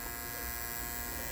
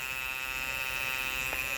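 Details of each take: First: Andis Master cordless hair clipper after a noise fix and fresh oiling: steady, even motor buzz at constant pitch with no rattle or ticking, growing quieter with oil; normal running. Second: Andis Master cordless clipper with the blade adjusted tight: steady high buzz with a thin rasping edge; worn plastic piece pressing on and rubbing the motor, fixed by fitting a new piece.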